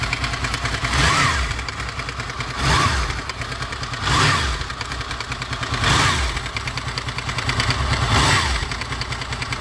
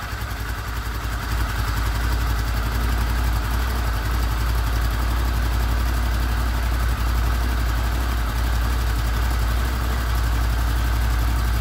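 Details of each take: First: Honda VFR800 VTEC V4, 58,200 km, idling: metallic clatter swelling and fading about every 1.5 s, loudest on right side from front cylinder; timing chain rattle, before timing chain replacement. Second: Honda VFR800 VTEC V4 at 58,200 on the clock, first start after cam chain replacement with sprockets reused: steady, even low burble at idle with no ticking or rattle, normal idle.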